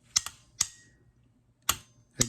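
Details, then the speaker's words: Starter solenoid bench test, 12 V from a power supply jumped to the ignition terminal: sharp separate clicks in a quiet room, one each time power is applied, crisp and consistent; contacts connecting to the starter circuit normally. "go back and forth you can hear that click it's actually connecting these two together and this would be going to your starter"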